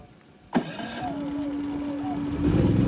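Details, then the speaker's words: PhilKing PK4200 gasoline generator, one of two being set up for parallel connection; oil and fuel checked, battery connected, economy mode off for higher RPM under heavy load; remote start click, then steady raised-speed hum; healthy start. "Ayun, buhay na siya mga ka-Best Buys."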